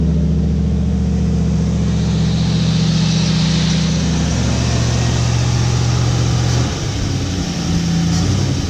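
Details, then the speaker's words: 1955 Chevy pickup V8 running, not yet set with timing light: deep, even rumble holding through a rev and settling smoothly, no misses or knocks; healthy running engine. "getting a little bit nervous about it because supposedly it was supposed to be a good running motor but I was a lot of trouble to get a motor running but it sounds great"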